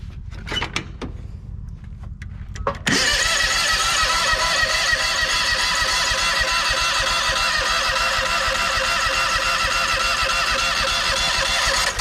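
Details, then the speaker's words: John Deere X500 Kawasaki twin after cylinder head replacement (valve guides came out, bent pushrods): starter churns steadily about 3.5 pulses/sec, no catch even with brake cleaner sprayed in; cranks but won't start, owner suspects bad gas. "I just went and got some uh carb cleaner breake pars cleaner spray that in there see if that helps any apparently it does not"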